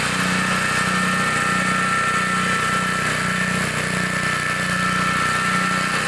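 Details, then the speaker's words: 1960s Bolens 28-inch Lawn Keeper mower, carburetor not adjusted, untouched at least 15 years, cutting grass: steady, even drone with slight regular pulse, no misses or knocks; runs good, normal running under load. "this thing is amazing it sounds good it runs good I have not adjusted the carpetrator at all"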